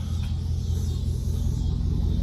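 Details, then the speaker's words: 2001 Chevrolet Suburban V8 idling after a misfire tune-up with new spark plugs and wires: steady, even low rumble with no stumble or skipped beats; idles smoothly and sounds healthy. "um she's chilling though she sound good"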